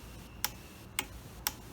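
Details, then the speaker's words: Custom fuse and relay panel bench test, relay triggered from fuse box signal wire: three crisp clicks about half a second apart like a flasher, relay switching normally. "but this time if you listen carefully you can hear the really clicking sounds a bit like a flasher"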